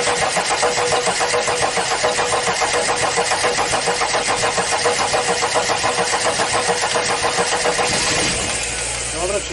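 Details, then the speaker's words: Audi diesel unused at least 12 years, external fuel supply, injection timing advanced, bleeding fuel pipes: eight seconds of steady rhythmic cranking without a single fire, then starter stops; no start, air possibly still in fuel lines. "It will work now I'll open two more pipes to let the air out"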